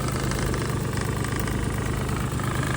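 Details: 2017 Suzuki Alto Works, warmed up, hood open, HKS pod filter, fresh plugs and wires, timing belt done 12,000 km ago: steady warm idle, light even tapping over smooth hum, no knocking. Normal warm idle.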